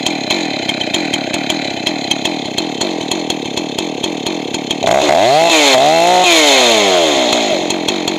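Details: Johnson Red 670 chainsaw with rebuilt Tillotson two-stroke carburetor: pops at idle, then high-speed screw set lean so it screams high and thin, then richened so pitch drops; should end slightly rich since lean worsens with use.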